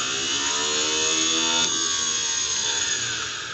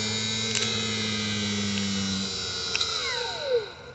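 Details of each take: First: Cub Cadet 169 garden tractor starter generator field braking test: motor spun up, positive moved to F terminal, high even whir barely slows when it should brake hard; this starter generator is bad, charging system fault being diagnosed. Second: Cub Cadet 169 starter generator field braking test on a known-good unit: steady motor hum spun up, positive moved to F terminal, falling whine drops quickly as it brakes hard; healthy starter generator.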